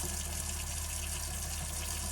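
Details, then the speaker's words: Girard GSWH-2 on-demand RV water heater, set to 112°F, after fixing an E03 no-fire error from storage: blower fan hums evenly under steady water rush, flame lit, outlet temperature climbing 106 to 108; heater now working normally. "So now you can see what happens is that'll fire, and the temperature will adjust."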